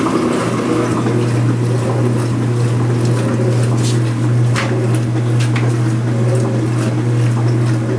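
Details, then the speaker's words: Speed Queen washing machine agitating after the rattling washer was greased, microphone near the camera at normal distance: steady low hum with soft water wash, no rattle or knock; normal quiet agitation. "in a normal distance now I have the microphone near the camera nice and quiet especially when there's some Suds in SHO like this"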